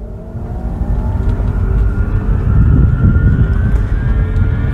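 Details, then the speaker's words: Mercedes B-Class ED (B250e) with Tesla Large Drive Unit: a thin whirring milling whine climbs in pitch as speed builds under acceleration and nearly disappears off throttle; bearing-related milling noise suspected. "as I pick up speed the the frequency increases and then if I let off the throttle the noise basically disappears go back to accelerate makes the noise again decelerate the noise goes away so anyway that's the noise"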